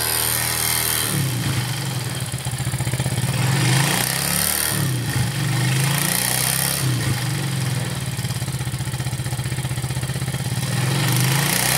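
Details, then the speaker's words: Warm Yamaha Force F1 motorcycle, smooth when first started but harsh metallic clatter when revved once warm; suspected worn, loose piston (seher oblak), valve clearance also to be checked, leaking valves noted; owner reports hard starting and weak power. "Nah itu Kedengaran ketika sudah agak panas sedikit kemudian kita gas naikkan rpm-nya terdengar sekali bunyi kemelatak kataklatakatakatak Sepertinya sih di bagian sehar"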